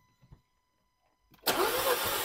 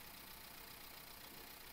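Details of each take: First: 2015 Nissan Juke 1.2 broken down with misfire codes P0300/P0304, during a compression test: steady cranking with even pulses about four per second, cylinders reading about 175 PSI, battery slightly tiring; cylinder 4 later read about 40. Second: 2015 Nissan Juke 1.2L petrol, towed in after shaking and breaking down on the motorway, idles with a busy, uneven rattle and unsteady beat; codes P0300, P0304, P0011, mechanic suspects a rattling timing chain plus misfire.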